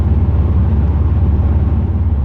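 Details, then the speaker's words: 2008 Grand Prix GXP V8 driving after a Thrush welded muffler install, foot on the accelerator: deep, even low drone as Active Fuel Management (DOD) switches cylinder deactivation on and off, fluctuating too often. "yeah see i've got my foot on the accelerator uh and it's on now it's off now it's on it just seems like uh this fluctuates too much"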